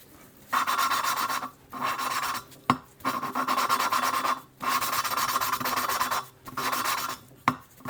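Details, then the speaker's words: Small-block Chevy cylinder head, hand-lapping a valve with grinding compound and a suction-cup tool: repeated gritty rasping strokes about a second long with short pauses as the valve is twisted back and forth; the seat is still rough. "You just squeeze it on there, let the suction, and just twist. You hear that sound? So you want to lift and twist."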